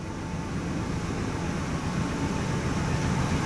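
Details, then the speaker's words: 2005 Ford van, 5.4L 16-valve V8, idling in the shop with a P0301 cylinder 1 misfire: uneven, sputtering low beat you can hear and feel; coolant from an intake manifold leak soaking the cylinder 1 spark plug. "definitely has a misfire you can hear it and you can feel it like a sputtering kind of action"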